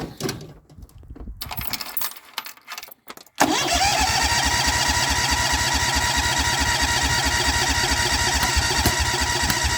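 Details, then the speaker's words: Cub Cadet cold start, electric fuel pump not yet wired in, first tried on fuel left in the carburetor bowl, reasonably fresh gas; after handling noise it fires at once and settles into a steady, regular beat; normal cold start. "it actually ran pretty good i was about to give up on it and hook up the fuel pump but i heard it kind of firing and hey it kicked off"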